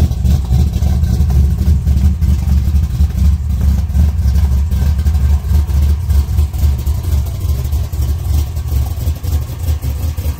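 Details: 1962 Nova V8 after installing chambered mufflers welded onto reused custom-bent mid pipe: deep, lumpy rumble holding steady and even, no rattles, ticks or leaks; normal healthy exhaust note.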